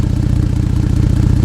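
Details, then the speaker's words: Ford Flex EcoBoost at idle, about 14°F, after a cheap flex pipe repair blew out on a 60-mile trip: sharp, fast raspy puffing tick with every firing pulse; exhaust leaking from the broken flex pipe. "well as you can hear as you can see the repair that I tried to do right here didn't really work"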